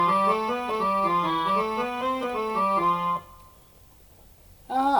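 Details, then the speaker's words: Roland FR-1x digital accordion after switching it from button-accordion (FR-1xb) mode back to piano mode: clean, steady notes with the former growl gone, keys playing correct notes: normal notes. "Oh, that sounded much much better than the first time. Let's check the keys. Oh, hey, that sounds pretty good."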